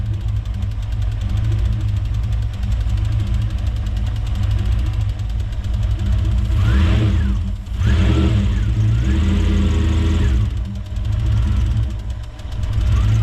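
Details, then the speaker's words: Toyota 1UZ-FE V8 in a Hiace van on a Link Gen 1 version 5 ECU firing four injectors at a time: fast sewing-machine-like ticking at about four per second over rough running, rising with revs; suspected spark arcing or noisy injectors, unconfirmed. "It sounds like sparks jumping around. I reckon it sounds like a sewing machine."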